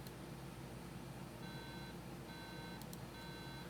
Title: 820-3330 goes beep beep beep